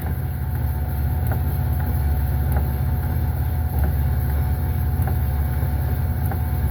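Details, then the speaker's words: 2005 Pontiac Aztek AWD, vehicle in gear: sharp clunk/thumping about every 1.25 s over a low drone from the rear drive unit, jerking; driveshaft turning, rear gearbox has fluid; owner suspects rear end blown out, unconfirmed. "Um, then I come back here and listen to this thumping. I think this rear gearbox is [ __ ]"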